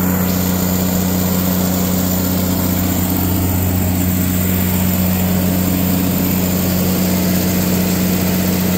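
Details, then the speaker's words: Katolight 110 kVA (110 kW) three-phase diesel genset, run outside after fixing a no-start (auto and manual); steady, even deep drone with constant hum, no knocks or misses, came up to temperature: healthy generator at governed speed. "But yeah, it runs great. It came up to temperature."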